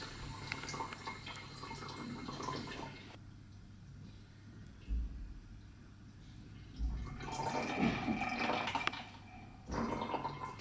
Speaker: First, we will start with a bad working anti-ciphon device. You will see there are no bottles in here. And you will hear a gurgling sound from the pump.